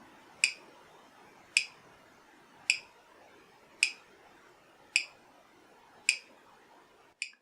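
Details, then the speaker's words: Halo HellGate FPV lost-model buzzer after lipo disconnect in quiet room: crisp single click about once a second, like finger clicks, lasting just over a minute before the three-beep alarm; normal countdown. "like a knocking sound or a clicking sound like someone clicking the fingers now that goes on for just over a minute"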